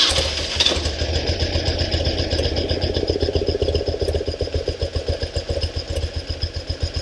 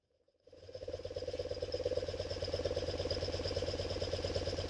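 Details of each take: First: 1974 BMW R90S airhead, warm idle after new breather valve install: lumpy idle with rapid fluttering gobble about four per second, which stops when the flapper is held down; upside-down crankcase breather flapper valve gobble. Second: 1974 BMW R90S airhead twin after refitting the upside-down breather flapper valve (it had caused a 'gobble'): the engine catches and settles into a soft, even putter at idle with no gobble; the problem is fixed, normal idle.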